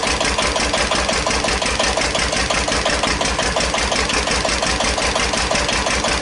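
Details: 1941 Witte CD 12 hp single-cylinder diesel 8000 W generator set, just started after long storage, warming up, no load: even thumps about two per second, idling slightly high; owner suspects fuel pumps sucking air.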